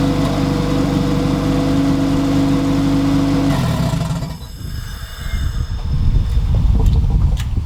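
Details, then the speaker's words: Honda Civic EF B-series turbo build, first start, running only a few seconds with wastegate on and no coolant or turbo oil feed: catches and holds a steady, even idle hum, no knocks or misses, then shuts down cleanly. "And it sounds so good."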